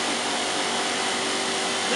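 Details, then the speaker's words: 1986 Hotpoint Supermatic Plus 9400 twin tub after new spinner-to-motor belt, loaded with damp items: smooth high steady whirr reaching 3,100 RPM quickly, no knocking or rubbing; spinner running cleanly at full speed. "here we go oh yes just pick to speed up quickly oh fantastic oh yes 3,100"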